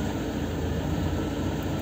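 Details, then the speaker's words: Lada Kalina 1 with LPG, owned just under a year, after the throttle was adjusted: idle switched from petrol to gas dips slightly, then holds a steady, even 800–900 rpm with no misses or hunting. A normal idle. "также где-то 800 Ну 900 в этих пределах ещё раз включаю включился на бензин как работало так и работают включаю газ немного и снова 800 900"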